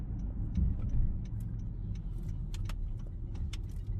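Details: Honda Fit after repair of noise, weakness and misfire, attributed to a deficient throttle body: engine accelerates with smooth even low hum, no stumble or knock, light cabin rattles, no check-engine light; running healthy.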